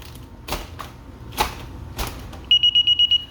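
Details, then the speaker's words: DSC alarm with door chime feature switched back on: a few handling clicks, then six quick high-pitched beeps as the window sensor opens; zone chime working normally, also beeps when a door opens. "and when you push the window it will beep so or when a door opens too"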